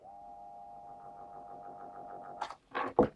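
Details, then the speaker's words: Three-phase motor run from 220 V single-phase supply via a capacitor: steady even hum for a couple of seconds, then clunks from handling; motor starts and runs normally. "работает давайте попробуем поменять ведем крутится в эту сторону"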